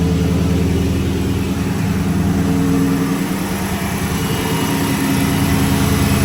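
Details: 2006-10 Dodge Charger 5.7 HEMI V8 after new water pump, timing cover gasket and aluminum radiator: steady even rumble, no knocks, ticks or whine, no leaks. Normal idle.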